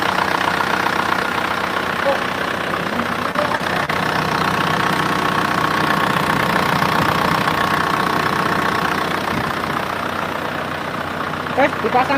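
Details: Freshly rebuilt Isuzu Panther diesel (rebuilt for white smoke, not yet run in): even idle clatter at about four beats per second, steady and unhurried; the engine sounds healthy.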